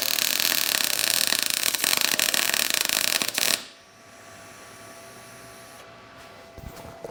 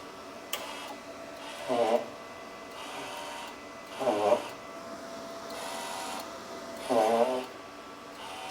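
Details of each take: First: Everlast Cyclone 200ES MIG welder, first arc at its 19 V preset: about three and a half seconds of crisp, even sizzling "bacon" crackle; a healthy, normal MIG arc, though the weld looked gray and needed more gas. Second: Everlast Cyclone 200ES MIG welder feeding wire out through the gun: three squeaky rasping bursts about every 2.5 seconds from the wire spool, which is dragging tightly.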